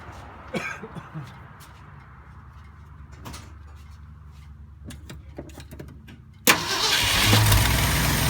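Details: 1972 Ford F250 with 360 V8 and four-barrel carburetor, after a Pertronix Flame Thrower II distributor, coil, cables and plugs install: quiet clicking, then it fires at once into a steady, even idle with no misses; normal idle.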